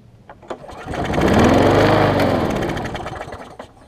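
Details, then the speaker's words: Bolens trade-in mower after carb cleaning, new fuel line and priming: small single pulls up to speed, hunts and surges unevenly for a few seconds, then sags, failing to hold steady idle; at least now starts and runs on its own. "we're getting somewhere it's at least cranking up and running on its own"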